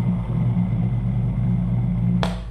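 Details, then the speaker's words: Starter from a Cummins 6BT-repowered Oshkosh plow truck, intermittent then dead, sat 10-15 years, motor section run directly on the bench with solenoid removed: coarse uneven growl and wavering hum, clack at cutoff; owner suspects bearings, brushes or gearbox bearings. "yeah that's not a good sign something with that motor so now on this starter this is the motor section"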